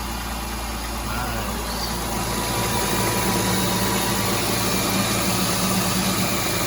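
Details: Honda Odyssey, freshly reinstalled engine, at idle after fitting a modified adjustable timing belt tensioner to replace a failed Dayco unit that leaked and knocked: steady, even hum, no slap, rattle or flutter; the belt runs steadily.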